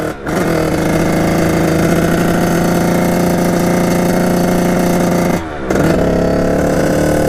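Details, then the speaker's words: 1989 Kawasaki KX80 big-bore 110 two-stroke idles perfectly but at full throttle holds a flat, buzzy drone at high revs, never surging into the power band, underpowered; owner suspects jetting, unconfirmed. "so it idles perfectly and just when you go full full gas just it doesn't hit that power ban"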